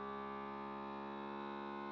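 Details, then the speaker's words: FoodSaver vacuum sealer on accessory mode, dry-food setting, drawing down a canning jar of sugar through a jar-lid attachment; quiet steady humming drone with unchanging pitch: pump working normally. "It's going. See how that sounds? Remember yesterday I said you have to listen to how your food saver sounds. So this guy automatically turns off when it's finished, whereas the handheld does not."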